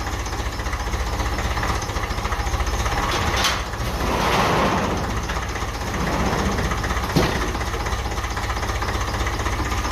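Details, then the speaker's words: 1955 Ferguson 20 TEF diesel tractor, first start after fuel system work and bleeding injectors with valve decompressor; settles into an even chug with loud breathy suction from the intake because the air filter is removed. "Doesn't have the air filter on it, so you can hear a lot of kind of suction sound."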